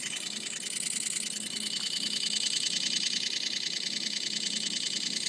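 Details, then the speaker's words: New iPhone 8, under a month old, after taking a photo: fast, steady ticking about three clicks a second continuing on its own, getting louder, like a camera shutter repeating; repeated clicking, cause unknown. "still clicking. It sounds like a shutter on a camera going over and over and over again."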